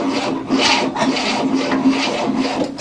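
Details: 1967 Cadillac, sitting 30 years, cranking on a new starter after the ignition timing was retarded: steady rhythmic cranking, two to three beats a second, raspy scrape, never catches; cause suspected, unconfirmed.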